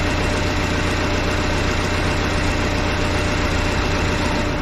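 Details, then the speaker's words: Case 188D diesel tractor engine idling at first fire-up after a 54-week rebuild, injector pump just refitted, throttle worked by hand; smooth steady low chug, no knocking or rattle; normal idle. "oh my gosh welcome sound inside that is nice and quiet"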